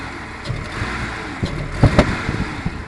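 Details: 1996 Jeep Grand Cherokee on a very cold day idling low and rough, with uneven thumps, stumbles and a steady hiss; it stalls or has no power when given gas, with loud sucking and popping from the breather.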